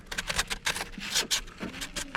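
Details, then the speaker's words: 4L60E transmission teardown (for LS-swap Pontiac Trans Am): shredded clutch pack turned by hand gives rough, uneven scraping and grating; plate teeth shredded or half gone, clutches confirmed as the problem. "oh my gosh that sounds horrible is that a good view I don't know if you guys had a good view so here's a good view look at all them teeth shredded okay that's what I'm talking about"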